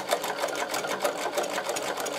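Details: Servo-driven Podolsk sewing machine sewing leather with a roller foot, thread held for the first two stitches; quick, even stitch ticks with a light motor hum, no knocking or rubbing: sewing cleanly, no marks on the leather.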